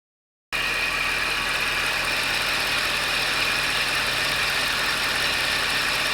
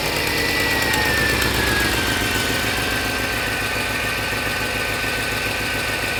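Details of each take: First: Mercedes CLS55 M113K with long-tube headers, after all four exhaust manifold gaskets were replaced; one had been badly blown out, causing a ticking exhaust leak. It now runs at a steady, even note with a smooth hiss and no ticking. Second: Mercedes CLS55 (M113K) with long-tube headers: sharp ticking at about 3.5 per second over a rough idle, crisp and puffy, from the passenger-side exhaust; the cheap kit manifold gaskets blew apart; fix is factory gaskets.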